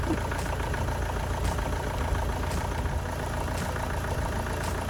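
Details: Astra van diesel just after an engine change (original had boiled), first run once fuel reached it: steady idle clatter with an even low rumble, running sweetly apart from a possible slight misfire at low revs, perhaps from injectors.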